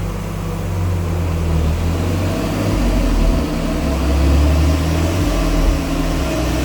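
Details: 2004 BMW Z4 2.2i on a rolling road at full throttle; a deep, even engine roar builds and holds over rumbling rollers with no knocks or misses, healthy.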